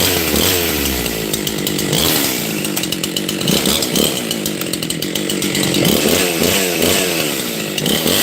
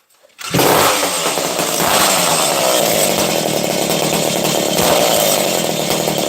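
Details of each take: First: Husqvarna 268 XP chainsaw bogs while cutting with a burbling, uneven four-stroking note instead of a clean scream, because the carburetor mixture is too rich. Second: Husqvarna 268 XP chainsaw, nearly out of fuel: engine catches suddenly and holds a high, raspy, even buzz without stumbling, starting and running cleanly.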